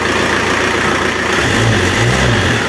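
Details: Renault Kangoo F8Q 1.9 diesel adapted from original Lucas Delphi DPC to mechanical Bosch VE pump, timed so rods don't knock from advanced timing; loud steady clatter rising with revs, no sharp knock; sounds like original pump; normal.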